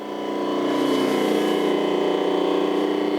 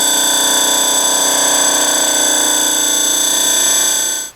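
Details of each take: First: Rotary phase converter idler motor supplying three-phase power, after maintenance and reconnection: steady even hum with constant motor tone, no rocking knock or rattle, much quieter than its earlier annoying pitch; normal running. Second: Shop rotary phase converter before service, running: loud steady high-pitched whine shifting through tones then cutting off, an annoying pitch that recently appeared; worn idler bearing.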